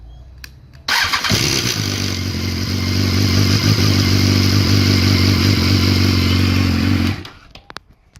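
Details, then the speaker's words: BMW S1000 R motorcycle startup: loud, clattery first second from the hydraulic cam chain tensioner, quieting to a steady idle as soon as oil flows through it. "something that you guys shouldn't remember is that it is quite noisy on startup again due to the hydraulic cam chain tensioner"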